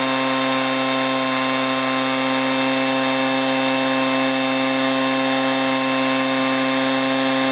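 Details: Echo PB400E two-cycle blower bought in 1983, warmed up and throttled up after a new fuel line and fuel filter, exhaust-port carbon cleaning and air filter cleaning: steady, even high-revving buzz without surging or bogging; normal high-speed run.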